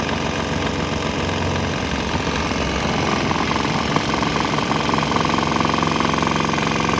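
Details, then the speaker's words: Swan X 165F Chinese single-cylinder diesel, governor throttle on start: steady thumping, tempo shifting slightly, runs on without stalling or missing; normal running. "But it seems to run on that. It didn't stop."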